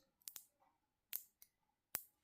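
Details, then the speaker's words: Black Forest cuckoo clock movement under restoration, chain already replaced: sharp, dry clicks, about five in two seconds, as the wheel turns; irregular catch in the train, suspected sprocket, cause not confirmed. "It's turning now. Look at that. You can hear the clicks."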